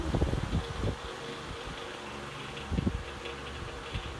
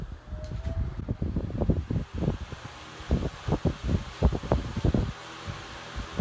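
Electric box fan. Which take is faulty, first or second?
first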